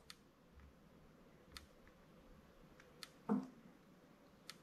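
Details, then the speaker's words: Electric fence charger tested with EMP Shield surge protector, neutral connected: sharp single tick about every 1.5 seconds, regular, meter same as before, protector also protecting neutral; normal fence charger pulse. "okay so you may hear the ticking in there but you can see it's doing the same thing"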